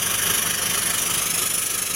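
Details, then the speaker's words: International RE300 school bus with a 7.3 T444E diesel, running with a steady hiss of escaping air. The air dryer purge valve is leaking, so the air system won't build pressure and the brakes stay locked: air dryer purge valve leak. "I guess everybody hear that air"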